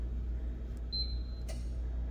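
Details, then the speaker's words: Royal Vendors RVV 500 vending machine, fan relay tested via programming mode relay test: a brief keypad beep, then one sharp click over a low steady hum, meaning the relay is likely good. "that clicking sound is a relay. So that means it's very likely the relay on this one's good."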